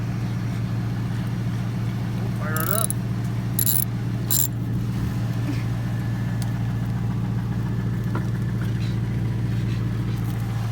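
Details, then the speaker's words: Chevrolet Tahoe, long family-owned, after exhaust, intake and computer tune; deep steady even V8 burble at idle with keys jingling nearby, no misses or knocks; running good. "We'll take it for a ride here in a minute and see how it does, but it sounds like it's running good."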